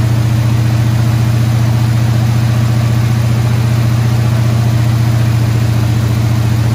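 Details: Squarebody Chevy C20 V8 at fast idle around 2,000 rpm after correcting a distributor 180 degrees off; steady, deep smooth drone, no misses or knocks. Run about 15 minutes; valve train later got a little noisy.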